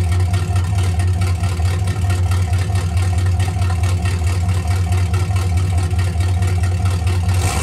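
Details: 1984 Camaro Berlinetta straight-piped with a three-inch single turn-down exhaust and no muffler: deep, booming, unmuffled rumble while running. Loud exhaust without muffler.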